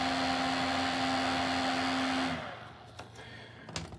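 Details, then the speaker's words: Ontel Handy Heater Turbo 800 wall-outlet ceramic heater running: a steady fan whir with a buzzing vibration, then it is switched off. Squeezing the unit stops the vibration, and tightening the four back screws didn't fix it. Owner suspects the fan itself. "I tied tightening those four screws on the back but uh I think it's the fan itself is the issue"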